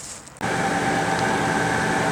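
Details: Main roof A/C unit on a 3-year-old 2022 KZ Durango fifth wheel, turned on in high-80s heat. Kicks on abruptly into a loud steady hum with a harsh whine on top; the fan motor was failing and was replaced.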